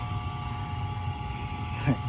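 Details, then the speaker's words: Septic tank aerator air pump, noisy motor replaced, running: steady even hum with clean constant tones over low rumble, no rattle or bearing growl; it cycles on and off aerating the tanks; normal running. "toilet paper and the poop, and then turns off, and everything settles to the bottom, and then turns back on and does it all over again."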